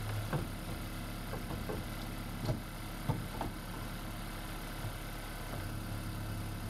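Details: Freshly swapped 2016 4th-gen engine in a 2012 Prius V, just after first start, running in maintenance mode on jack stands before coolant air purge: a quiet, low, even petrol hum with a few faint stray clicks; a smooth, normal idle.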